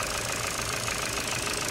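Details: 2011 Ford Focus Mk3 1.6 petrol, idling while warming up before a service: steady idle with a fast, light ticking over the hum, attributed to the valve lifters; treatment additive added to quiet it; valve lifter tick.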